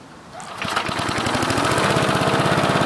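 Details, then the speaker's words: Old Sensation lawn mower with auto-choke carburetor, once ran out of oil, started first try with fresh fuel, carburetor unadjusted: quick, even putter at low idle with no stumbling or surging; runs healthy. "I put it on low idle just so you can hear me, but I'll speak loud anyway just in case. It runs really well for something. I did not adjust the carburetor at all."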